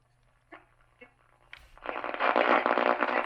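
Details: Old radio with a scratchy volume/tuner potentiometer: two faint clicks, then loud rough crackling hiss as the dial turns, before cleaning the pot with CRC electronic cleaner sprayed in without opening the radio.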